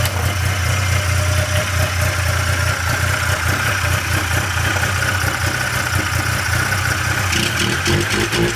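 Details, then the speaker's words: 1997 Polaris Indy Classic two-stroke barn-find snowmobile on new hoses and fresh, thickly oil-mixed gas: loud, buzzy idle holding an even beat with no misses or rattles; running healthy, judged a good running machine. "hey that's uh it's gonna be a good running machine"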